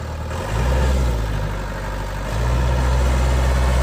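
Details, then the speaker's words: 2002 Vermeer V5750 trencher/backhoe, Deutz 59 HP diesel, 1,200 hours, county-maintained, revved a little just after start: deep note swells smoothly twice under throttle blips and drops back cleanly, no knocks or misses; healthy engine. "it up just a little bit for you."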